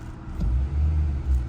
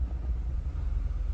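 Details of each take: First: 2020 Nissan Altima idling after fixing a P10C3 misfire: low, smooth, even rumble with no stumbles or shakes; misfire gone, code not returning. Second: 2020 Nissan Altima idling in gear with code P10C3 (fuel injector control module): an uneven low rumble with an irregular shake that never settles. Misfire, pointing to a faulty fuel injector.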